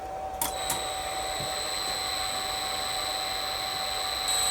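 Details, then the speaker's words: Inverter-driven CNC spindle run unloaded at low speed while a CT current clamp on one motor winding feeds a scope: a steady high whine with an even hiss and no knocks or wavering. Normal spindle running. "So the spindle's running, and we've got our waveform down there."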